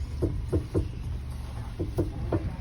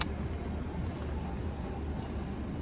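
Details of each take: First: 2008 Honda CR-V, steering turned fully left and right: irregular dry crackles and clicks from the front suspension; a service bearing guess was ruled out on a lift, traced to a worn front Zekkert stabilizer link. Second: 2008 Honda CR-V with the front stabilizer link removed, engine idling, steering turned to full left and right lock: steady low idle with no crackle or knock, confirming the stabilizer link caused the crackle.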